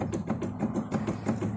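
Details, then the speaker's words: Volkswagen Crafter front end banging while driving, with ball joints and tie-rod ends recently replaced: sharp, light clunks about six a second as the brake caliper is rocked by hand; play from worn caliper guide bushings. "Короче, знаете, что ещё стучать может? Суппорт. Вот здесь вот втулочки есть."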